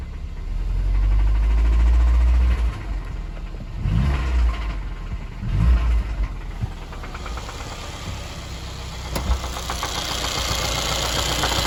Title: 2017 M270 2.0 engine knock